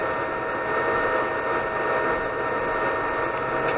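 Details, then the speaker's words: Anycubic Chiron 3D printer after raising nozzle that sat too close to bed: smooth steady hum and faint high tone, extruder stepper clicking stopped; normal extruder operation. "and as you can hear, the clicking stopped."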